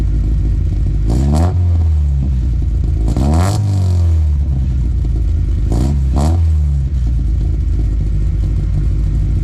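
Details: Toyota Altezza 3S-GE Beams engine with ITBs, Haltech Elite 550, first startup on basic tune, recorded from car front: crisp blips rising and falling cleanly, no misfires or knocks; running slightly rich, normal revving.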